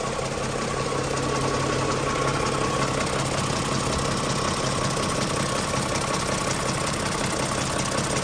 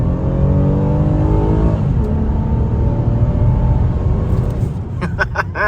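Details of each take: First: Toyota Camry before the dealer repair. A rough, uneven knocking, ticking clatter rides over the idle at about two to three knocks per second and sounds like an old diesel, pointing to a timing chain tensioner that isn't holding tension. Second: Toyota Camry V6 driven home from the dealer after the engine repair. It pulls cleanly through the revs with an even rising note and no knocks or misses, and sounds healthy: normal acceleration.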